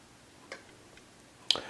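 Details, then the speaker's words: TimeUSB lithium battery on its charger, app at 100% and 13.8 V, BMS in overcharge protection. Sharp, isolated ticks about every half second come from the charger switching modes to hold the full battery. This is normal maintenance-mode ticking. "I happened to hear this noise this ticking sound and I was like what in the world is that noise so it sound like it was coming from the battery what it's coming from is this charger and I'm going to guess that we're almost charged"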